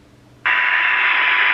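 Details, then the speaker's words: New-old-stock Cybernet ZX1 CB radio on 12.8 V, channel 20, SINAD check at speaker: snaps from silence to clean steady open-channel hiss; receive sensitivity already 0.13 microvolt, judged perfect, receiver working properly. "It's sounding pretty good. We're already at 0.13 of a microvolt here on receive,"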